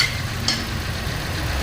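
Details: Toyota Rush petrol engine at idle in a cylinder cut test after repair: cylinder #2 previously had no spark despite new coil and spark plug; pulling a connection makes it idle unevenly with a low throb, then idle is stable again once reconnected.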